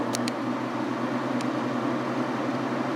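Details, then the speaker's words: Kenmore 5000 BTU window AC (Matsushita compressor) just installed and switched on; only steady fan whoosh with low even hum, compressor not kicking in yet, though it started later; fan running, compressor not started. "Don't know if the compressor is going to start, but let's turn it on anyway. Nope, no compressor"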